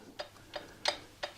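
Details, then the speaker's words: 2022 Royal Enfield Classic 350, engine off at top dead center, exhaust rocker rocked by hand before adjustment: about four light, sharp metallic clicks showing some free play, but clearance is not enough. "that's the existing play if I get my feeler gauge it's possible this one's actually all right or maybe even too tight so there is clearance"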